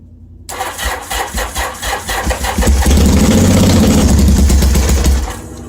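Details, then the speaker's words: 1981 Yamaha XS850 Special, carbs just reinstalled, cold snowy day, full choke: two seconds of cranking, then it catches and runs rough and loud about three seconds before dying; owner suspects it's too cold to idle. "did you hear that guys oh it's uh it popped off"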